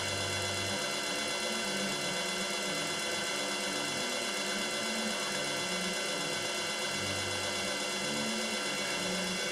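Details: Yaskawa DC servo drive CPCR-MR-152G on bench test with 220 V three-phase applied, motor running clockwise and speed set by potentiometer. Smooth, even motor whir with a steady high whine and no knocks or roughness; normal running.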